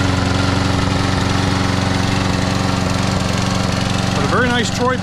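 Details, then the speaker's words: Free Troy-Bilt 21" mower, Briggs & Stratton 675 series auto-choke engine, after carburetor and tank cleaning, new plug previously ungapped: steady speed with occasional dropped beat; slight intermittent miss, cause unclear. "Kind of got this miss every now and then. Not quite right yet."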